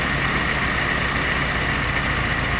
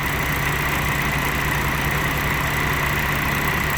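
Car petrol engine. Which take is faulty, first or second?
first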